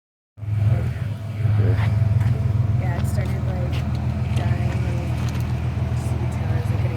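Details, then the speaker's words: Subaru Forester engine cranks and settles into low idle with irregular chirps and rattles; engine shakes around, suspected broken engine mount, not confirmed. "Your motor's not. You know what it is? The mount probably broke off, and it's not sitting. It's not supposed to shake around like that."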